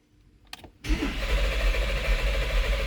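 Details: 2014 Porsche Cayenne (92A) that won't start: the starter spins the engine with a steady low churn but it never catches; crank no start, fuel pressure, pump and injectors being checked.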